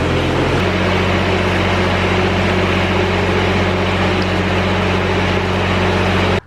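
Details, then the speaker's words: Grasshopper 322D diesel zero-turn mower, started after warming glow plugs 5–10 seconds: steady, even low chug with no knocks or misses, then clean shutdown; engine runs healthy, though voltage stays at 12.1 V running, indicating a charging-system wiring fault. "So to start this machine, I've got those glow plugs. Warm those up for 5 to 10 seconds, and I can start it."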